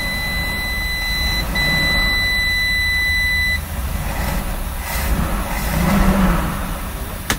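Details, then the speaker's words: 1967 Travco 220 RV with big block Chrysler, parked since 1988, now running with fuel pump wired up: big engine idles low, quiet and smooth with 50 lb oil pressure while a steady high dash beep sounds, then stops; normal idle with warning beeps. "listen how quiet it's running all I hear is these things beeping yeah all right it's running good it's yeah got 50 lb of oil pressure camera guy"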